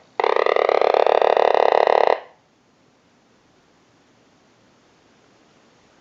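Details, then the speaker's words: Vintage Frog novelty telephone during repair checkout, with a ring cycle sent from a telephone analyzer: one two-second burst of rapid croaking warble, then silence; ringer sounds properly frog-like. "We're also going to go ahead and move the Frog telephone back over to our analyzer, and we'll send a ring cycle like you were getting a call."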